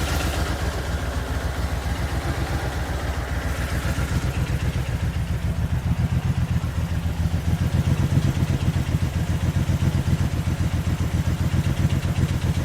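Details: Just over 110,000-mile replacement vehicle at idle: rough idle with deep regular knock around four beats a second and uneven miss; loudest down low, owner guesses bottom end, cause unclear; air noise up top, possibly the air pump.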